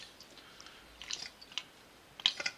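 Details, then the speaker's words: Edwards E2M2 vacuum pump after a full rebuild, with valves and cartridge refitted and the shaft turned by hand via the coupling. Crisp irregular clicks and pops of the valves seating as oil is forced through, with no grinding or tight spots; normal valve action. "now with the valves in place you can start to hear the valves popping"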